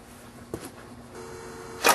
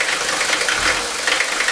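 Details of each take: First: Five-cylinder Mercedes diesel with all injector nozzles replaced by Bosio nozzles, stone cold at 51°F after sitting overnight, glow plugs cycled twice: catches after a couple of seconds of cranking, then even clatter; smooth, normal cold start. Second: Mercedes 5-cylinder diesel at idle with worn injector nozzles: harsh, loud rattling clatter like ball bearings inside and rough running; heavy diesel knock from worn nozzles not spraying correctly.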